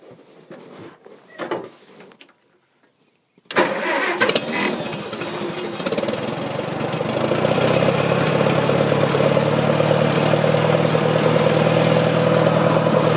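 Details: Engine that would not start in the dark, after owner suspected flooding and moisture in the distributor cap and wiped contacts: short pause, catches first try, revs briefly, settles to steady even idle; engine starts and idles.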